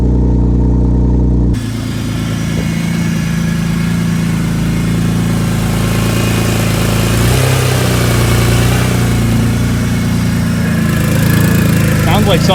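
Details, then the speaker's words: BMW E46 M3 on first startup after fitting new catless headers and bleeding coolant: rough, loud idle with a fast chuffing puff about four a second; exhaust leaking at a header joint fitted without a gasket, heat wrap smoking. "like something's leaking. Yeah, it's leaking out of there."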